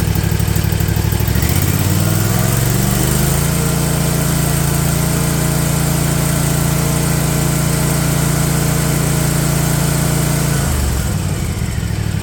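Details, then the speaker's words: Husqvarna Z254F zero-turn mower after a tune-up and new starter, solenoid, fuel pump and shut-off valve: the engine spins up, holds a smooth steady drone, then drops back cleanly. Fuel now reaches the filter; the owner suspects the old shut-off valve was plugging. Runs normally. "and it does excellent all right got fuel in the fuel filter uh which I didn't before"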